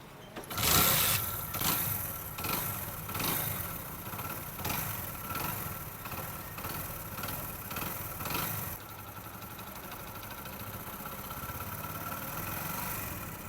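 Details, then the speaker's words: Honda Pridor motorcycle after timing chain replacement, timing and tappets rechecked: catches after a few surges, then a quiet even idle with no chain rattle; magnet noise also cleared, old engine retains some minor noise. Normal idle. "Timing चैन की जो noise थी वो अल्हम्दुलिल्लाह complete हो चुकी है। अभी engine में टाइमिंग चैन की कोई किसी किस्म की नॉइस नहीं है।"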